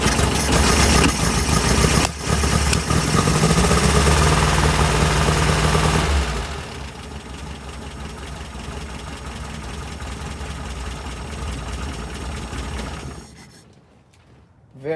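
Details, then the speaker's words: 1967 VW Type 3 Squareback, carbureted engine, cold start after chokes were fixed and starting fluid sprayed into both carburetors: catches immediately, loud even fast cold idle easing down, no stumbling; starts super easily, normal cold start. "nice so that started up super super easy I'm just going to go ahead and get the engine to run for some time"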